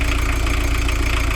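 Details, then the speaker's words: VW camper diesel van, heavy, at idle during a final leak check after the fueling screw was backed off to cut smoke at some cost in power; previously very smoky. Steady, even low clatter, no missed beats; normal idle. "Yeah, I would say now, having backed off the fueling screw, you will have lost a little bit of power, but you'll have lost a lot of that smokiness as well too."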